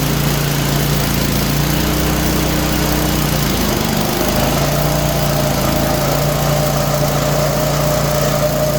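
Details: Craftsman snowblower small engine running after auger/cable adjustment, checking for squeals; steady run with humming whirr and brief sag in revs, suspected bearing, unconfirmed.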